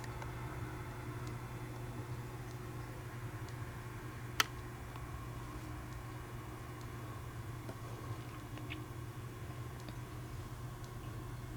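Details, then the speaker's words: Rare 1950s Fisher-Pierce meter-base photocell with a set time delay: one crisp click over a steady low hum as the relay mechanism switches off normally. "But yeah, you can hear the clicking noise it makes. It sounds really, really cool."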